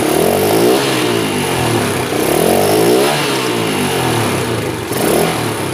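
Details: Honda Sonic motorcycle, hard to start and weak to accelerate: revs swell and fall in slow, labored surges and bog; the mechanic suspects low compression and vacuum-operated valves rather than the carburetor.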